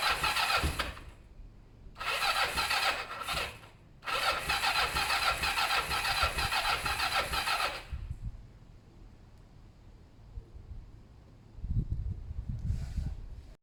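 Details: Kawasaki ER-5 twin during service after carb cleaning and new fuel hoses: long whirring starter bursts with pauses between tries, no catch or firing; cranks but will not start. Owner thinks carbs have fuel and plans to check spark plugs.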